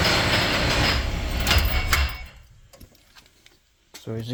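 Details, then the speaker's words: 2008 Ford Escape running: loud rough grinding whir over idle from a completely failed idler pulley bearing, run like this for a while; cuts out at shutdown. Belt, pulleys and tensioner being replaced. "bad noise because the bearing so as you hear the bearing in this pulley is completely gone because it's been running like this for a while"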